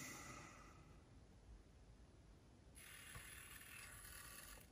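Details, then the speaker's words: Aiwa HS-J505 cassette walkman: the motor, run alone with the belt removed, gives a dry whirr and uneven scratchy buzz. Needs oiling; it went quiet after the motor was oiled. "this one looks looks nice looks okay but the motor sound was actually terrible"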